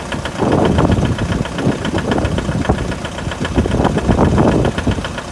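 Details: 2011 Mitsubishi L200 with 4D56 diesel at cold idle: loud, deep idle with uneven heavy knocks, roughly three or four a second; cold-start engine knock, cause not identified.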